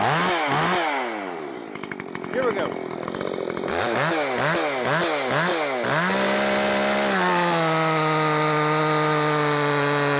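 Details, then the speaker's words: Makita 5600 (Dolmar-built) chainsaw with freshly sharpened chain: a few throttle blips, then a high steady even scream while cutting; pulls cleanly, cutting much nicer than the dull chain. "most definitely cutting a lot nicer now let's see the RPMs in the cut make sure we get it all squared away"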